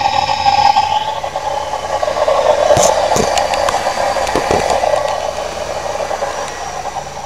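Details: 1998 Camaro at cold start: dry uneven rattling chatter over a rough hum from the engine front, gone once warm, no overheating; owner suspects water pump or pulley bearing, unconfirmed.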